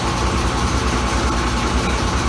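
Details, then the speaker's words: Kenmore Laundry Center top-loading washer on a regular cycle, cold/cold water and large water level, loud during spin: a steady roar with low rapid thumping as the machine shakes; cause suspected, not confirmed. "I'll just let you hear how loud this thing, because it's shaking and getting noisy. You can hear how noisy this thing is."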